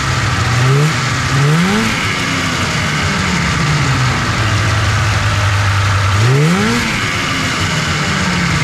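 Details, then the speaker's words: 1997 Polaris Indy 500 two-stroke snowmobile revived after long sitting: quick blips then a fast, buzzy idle that never drops low; idle speed set too high, needs adjusting. "it's seemed like it's uh idling too fast I'll have to adjust the idle on it a little bit"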